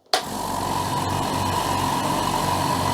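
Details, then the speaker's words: Upgraded air compressor, converted from two motors to one: steady, even motor hum with constant tone and no knocks, rattles or surging; owner thinks it may be quieter and finds it more solid, maybe less vibration; normal running. "I'm very pleased with the sound it it seems but it seems to have made it more solid maybe it's less vibration"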